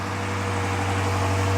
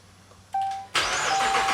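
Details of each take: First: Dodge Charger Pursuit on delivery day, before supercharger build, first start: fired right up into an even deep low idle, no misses, knocks or ticks; sounds good. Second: Supercharged Dodge Charger Pursuit build, start attempt: starter spins the engine quickly and evenly, about three pulses a second, but it never fires; plenty of fuel at the tailpipe, so missing spark is suspected. Cranks, won't start.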